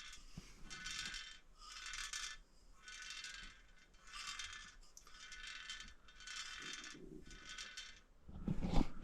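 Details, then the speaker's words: Norton motorcycle wheel being shaken by hand after bearing work: loose metallic rattle, about one burst a second, from something stuck inside the hub/rim that cannot be removed; cause unknown. "don't know what's making that rattle. There's something in there."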